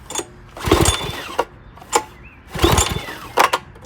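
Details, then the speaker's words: 6 hp Briggs engine, thought to be from a Craftsman 4-in-1 push mower, with seemingly good compression, is pulled over repeatedly at various choke and throttle settings; whirring and clatter but it never fires; cause unconfirmed, air filter checked. "I want to do full power. Nothing. Do a little bit of choke on. Go back a little bit. Nothing. Nothing."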